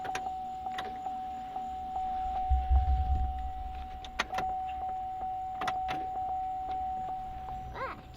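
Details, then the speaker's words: 2004 GMC Envoy after fuel pump and pressure regulator replacement, key on, engine off: steady mid-pitched electric hum with light clicks. Fuel pump priming normally. "right I hear the fuel pump priming so hold on bubba"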